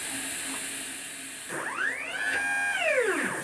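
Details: Homemade JGRO CNC router, Y axis, Mach3 motor tuning: stepper ramps up with rising and falling whine turning ragged and buzzy at top speed, slipping and losing steps with velocity set too high; stepper stalling from excessive speed.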